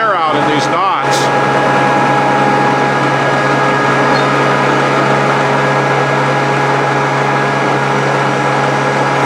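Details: Grizzly G0458 18-inch open-end drum sander, reassembled after breaking down, holds a constant even motor drone with no knocking or grinding while wood feeds through for repeat passes; sands without tear-out around knots. Sounds healthy.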